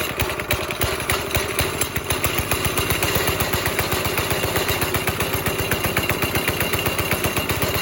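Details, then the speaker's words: 5.5 hp Briggs & Stratton single-cylinder NASCAR go-kart, pedal floored but engine putters at steady low idle, about four beats a second, never picking up; throttle cable had come loose with its hanger out, no tension in the line. "Like, my foot's on the floor, and we're not getting, like, full reaction here."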